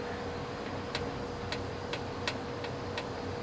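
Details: Jeep with about 70,000+ miles after death wobble: six light, uneven ticks roughly every half second from the front end; suspension clicking, possibly a loose bolt, cause unconfirmed.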